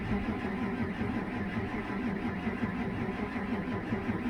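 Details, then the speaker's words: 2006 Ford F250 5.4, no-start after bodywork, no codes, 3 °C, battery 11.8 V, scan tool 80 rpm cranking: sluggish, labored cranking, about five compression pulses a second, no catch; low battery slowing starter, suspected timing fault. "Yeah, we got 80 RPM according to the scan tool. I'm going to get a battery charger on this thing because it's cranking pretty slow."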